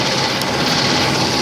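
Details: 1997 Nissan Pathfinder after a noisy belt/pulley repair: steady, even idle with a smooth hiss and no squeal or chirp; the belt drive is quiet and healthy, though the owner notes another intermittent squeal, possibly the AC pump, not audible here.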